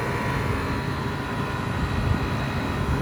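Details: Rooftop condensing unit for a walk-in cooler, restarted with the box hot after hooking up a part with its bleed resistor, gauges on the low side: a steady, even hum with a low drone and no knocking or rattling, so the compressor is running normally.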